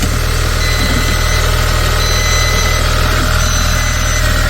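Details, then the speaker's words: 2.0 L turbo petrol car jump-started indoors at 22–23 °C with a portable jump starter that barely started it: steady, even idle with low regular pulse and faint intermittent beeps from the starter; engine runs normally. "So it was not that happy, but it did start the car. No weird smells coming from either this or the unit itself, so perfectly fine, but it barely started it, and this was in the house, so it was at 22-23 degrees Celsius."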